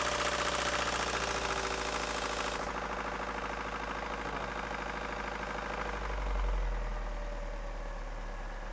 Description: Ford Focus 1.6i 1999 Zetec horrible engine sound. Very interesting sound from engine? Sounds like diesel engine